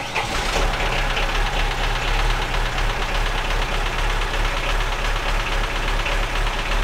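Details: Lada Niva that had sat and would not start, run on a jump from another car's battery: loud, lumpy idle with uneven thumps and a rattly clatter over the exhaust, sounding like a tractor; misfire, cause unknown.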